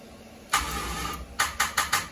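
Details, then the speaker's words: Chevrolet Monza after a complete rewire with a Painless 23-circuit kit: one short crank catches briefly, then four feeble cranking pulses, and it won't keep running; owners suspect the battery lacks cranking amperage. "oh that's not oh that's shutting off still i think looks like it it just doesn't have amperage it doesn't have any amperage"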